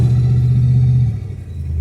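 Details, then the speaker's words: Old Mercury Cougar driven at about 45 mph, camera at the steering wheel, sway bar bushings missing; steady low road rumble with no wobbling, creaking, clunks or crunching from the front end; normal suspension. "I don't hear no wobbling. I don't hear no creaking, no crunching."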